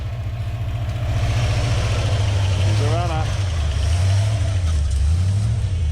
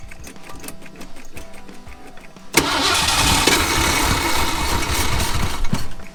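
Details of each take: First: Bullnose Ford F100 V8 after sitting outdoors 11 years, with split fuel hoses due for replacement: a low, steady burble that picks up smoothly when revved and settles back; it runs and idles fine. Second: Ford F100 bullnose V8 sitting outdoors 11 years, fuel poured down the carburetor: slow even cranking about three and a half turns a second, catches briefly and roars; cranks but won't run, in-tank fuel pump found not working, fuel putrid.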